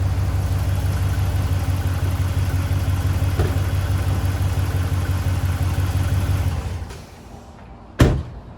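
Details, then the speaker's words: 2010 Dodge Ram 5.7 Hemi after topping up oil and clearing P1524 oil pressure code: smooth, steady V8 idle with even low beat, no ticking or knocking, then shutdown; sounds healthy. "Start it up. Give it a few minutes. That should do it. Sounds nice, right?"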